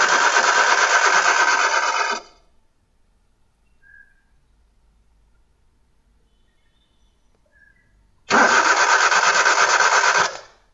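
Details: Car cranked repeatedly but won't start, no spark from plug: two bursts of starter cranking, about two seconds each, with silence between; engine never catches.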